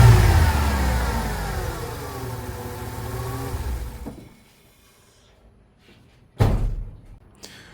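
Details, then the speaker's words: 1999 Ford Econoline 4.9L inline-6 that stalled at idle with no check engine light, after replacing the MAP sensor: snap throttle rises cleanly and drops straight back to a smooth, steady idle with no stumble or stall. Repair successful. "We still at our value and it runs extremely smooth, too. The port was trying to stall. Now it runs amazing."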